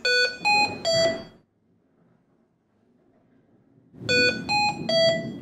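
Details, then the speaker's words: HAMILTON-T1 ventilator (software 2.x, same on C1/MR1): medium priority alarm, three beeps then about 2.5-second pause, repeated; continuous buzzer follows if not silenced within a minute. "a medium priority alarm is a sequence of three beeps repeated"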